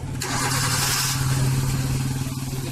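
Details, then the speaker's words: Maruti Suzuki Swift petrol/CNG engine after replacing failed No. 3 ignition coil that caused idle hunting, misfire and pickup problem; now settles to steady even idle without shake or misfire, air filter open. "Perfect idling है, थोड़ा सा भी इंजन हिलता नहीं है, मिसिंग नहीं है।"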